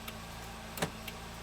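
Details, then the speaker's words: 2009 Nissan Sentra 2.0 L, returned with headlights and dash lights flickering while the engine runs: sharp irregular relay clicks over a steady electrical hum when the CAN SL2 module is connected, stopping when unplugged; faulty CAN interface module. "but once i connect it back up you hear the click so right there the lights are flickering so once i disconnect this the problem is gone so this box here is the problem"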